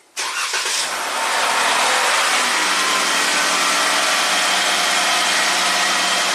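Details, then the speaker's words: 2017 Jeep Rubicon (codes P0390, P0394, bank 2 exhaust cam rattle) after replacing an oil gallery plug: starts right away and settles into a smooth, steady idle with no startup rattle; fixed. "beautiful the exhaust are now happy we wait for those to stabilize this Jeep is fixed amazing one bolt required"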